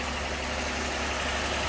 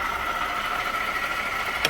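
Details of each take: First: 2018 Jeep Grand Cherokee 3.6 after replacing a whirring water pump, in a cooling system where stop leak had been used; a smooth, even, quiet idle with no whirring or rattle on top. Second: 2018 Jeep Grand Cherokee 3.6 at idle, heard through a screwdriver held on top of the water pump after checking the tensioner: a steady, loud, high whirring tone; worn water pump bearing whine, and the pump is replaced.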